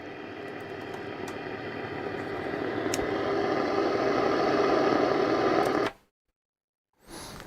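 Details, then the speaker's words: Nordmende Transita Deluxe transistor radio, powered up after cleaning; mostly hiss with a faint thin station underneath, off frequency and weak; owner suspects an old capacitor or IF transistor. "weak right so we know it works on all bands I would say it's weak on am so maybe something's a bit dodgy in the AM section could could be an old capacitor"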